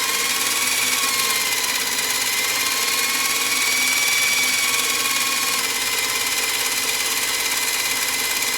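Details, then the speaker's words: Sony EVS-7000 Hi8 VCR with PCM sound, take-up hub failure: loud, strained whirring with thin steady whine throughout rewind, sounding sluggish; noisy rewind, something in the transport dragging. "whoa that's really loud for a rewind something's not right with the smackdown rewind kind of sounds a bit sluggish on this"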